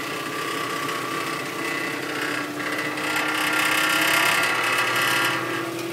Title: Xterra 2005 weird buzzing sound